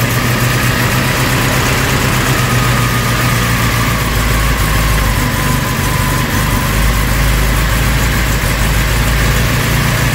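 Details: Vauxhall Cavalier Mk2 after fitting a new starter motor, choke pushed in, gives a loud, steady low idle holding an even beat with no misses, knocks or hunting; ticking over smoothly.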